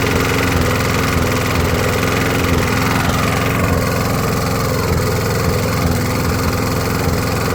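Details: 20–25-year-old Briggs & Stratton push mower after new head gasket and retorque: small engine under load with uneven beat and stumbles, not reaching full rpm; still misfiring, though far better than before.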